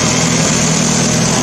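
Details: Old Mazda engine on a homemade ignition control computer, idling through a homemade primary muffler where fumes pass back and forth three times. Steady, slightly raspy hum with an even beat. Normal idle.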